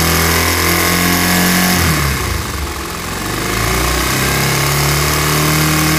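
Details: Bajaj Pulsar 150 BS4 motorcycle engine: busy metallic rattle and whirr over the engine, swelling with throttle; worn balancer gear, fixed by installing a new balancer pinion.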